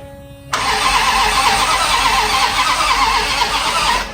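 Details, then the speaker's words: Land Rover (Jensen Rover), not driven in 25 years, newly fitted starter motor: steady, even cranking about three and a half seconds, no grinding or clicking; starter spins the engine over strongly. "That sounds to be spinning over quite nicely. I'm glad that wasn't a waste of time because that was extremely difficult to fit."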